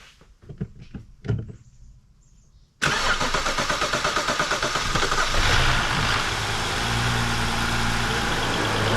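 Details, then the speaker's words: Rebuilt BMW N55 engine, first start before break-in and valvetronic learning: a few seconds of cranking, then catches cleanly, flares briefly and settles into a steady, even, healthy idle. "all right that's our first start engine sounds good"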